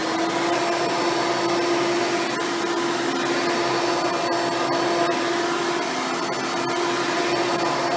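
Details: Hoover Spectrum (Elite-style upright vacuum) run after installing a new belt and brushroll: steady, even motor hum with constant tone, no slapping or squeal; vacuum and brushroll running normally.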